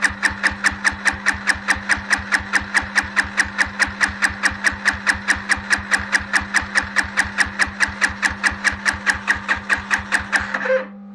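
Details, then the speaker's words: Chinese quad with lights humming, a faulty ignition switch and a misbehaving starter clutch: the starter whirs steadily with even compression pulses for eleven seconds and never catches; lean mixture from a cracked intake boot, fuel level to be raised. "and also starter clutch is acting out what I will do a CERN of the fuel I will raise the fuel level and will try it again"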